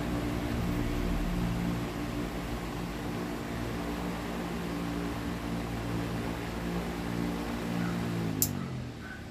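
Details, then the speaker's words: Electric fan fitted with a capacitor twice its rated value: a steady low hum with a faint whir that never reaches full strength, then winds down; a large short in the burnt winding means the motor cannot be saved. "botei um capacitor aqui duas vezes mais a medida dele ele continua lendo não vê aquela força né natural dele olha aqui também o outro curto enorme"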